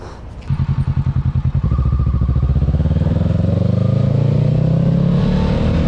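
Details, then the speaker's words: 2022 Kawasaki Ninja 650 after tightening the windscreen screws and mirror screws: engine pulls smoothly with an even low thrum rising in pitch with speed, screen vibration mostly gone, no buzzing; normal running, no windscreen rattle. "Okay, so as I was saying, as you can see, the vibration is mostly gone. So all I did was make these 2 screws as tight as I could, and the 2 screws on the front even tighter."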